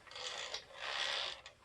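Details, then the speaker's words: Kirby Diamond Edition vacuum, handle installed and transmission in neutral: short bursts of harsh, gritty scraping with creaks between; still grinding after the bracket/cam assembly work, so another transmission problem remains, cause unclear. "so let me put the handle in and see if this still makes a bunch of noise so got it in neutral oh"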